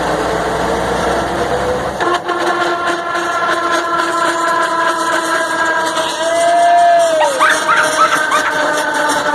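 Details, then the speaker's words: Mercedes-Benz 1634 diesel truck, in gear, noise only when lifting off the throttle; unclear at first whether from gearbox or differential, it then seems to be the differential: steady drivetrain hum with a whine sagging in pitch. "agora não dá para saber se é no C ou se é no diferencial para cá agora parece que é aqui ó parece que é no diferencial ó"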